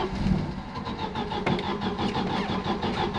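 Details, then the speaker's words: Volvo with uprated valve springs, on a warm restart. It cranks with a steady whirring rhythm but never fires, sounding like no ignition. Cranking fuel is far too much; starting with the pump off, then switching it on, works. Hot-start failure from over-fuelling. "but cranking fuel must be way way too much so so much so it won't even try and fire it just sounds like it's no ignition"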